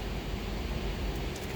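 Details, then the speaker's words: 2007 Lincoln Town Car idling with a low, lumpy, uneven rumble from a misfire; scan shows ignition coil codes A, B, E, G (P0351, P0352, P0355, P0357) and P0300, power balance points to cylinder 7. "Miss fire का रही है ठीक है तो अभी मैं इसको computer लगा के चेक करता हूं कि इसम क्या मसला है"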